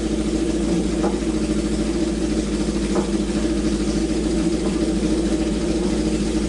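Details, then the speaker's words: Honda CB750 four-cylinder, left sitting, first start on choke after reviving: even burble holding steady idle without skips or clatter; oil slightly overfilled, spilling from overflow when revved; runs pretty darn great, normal running. "but hey better to have too much oil than not enough but dang dude the thing runs pretty darn great"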